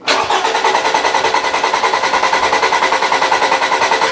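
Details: 2014 Toyota RAV4 2.5 litre with an intermittent no-start fault: steady, even cranking at about 150 beats a minute for four seconds without catching; injector pulse and spark confirmed, fuel pump suspected next.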